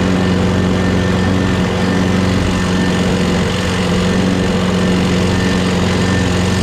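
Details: Craftsman 6.5HP Briggs Quantum FWD mower after magneto replacement and carb clean, primed and electric-started: steady, even drone with constant low hum, no misses or surging. Owner hears an unidentified clanking and says it must be primed every time.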